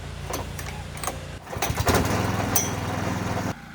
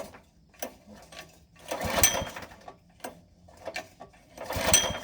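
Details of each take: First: Replacement rented gasoline core aerator, small single-cylinder engine: catches after handling clatter, runs with a steady, even beat for two seconds, then cuts off; starts and runs normally, unlike the first unit. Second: Rented gasoline core aerator, never test-started at the store: repeated recoil pulls every two to three seconds, each a brief rasping crank with no firing. It won't start, the gas smells off, cause unclear, and the machine was returned.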